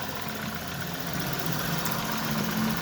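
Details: VW Tiguan 1.4 TSI cold idle after new firmware disabled catalyst fast warm-up, fixing the cold-start misfire: smooth, steady low hum with no stumbles or uneven beats.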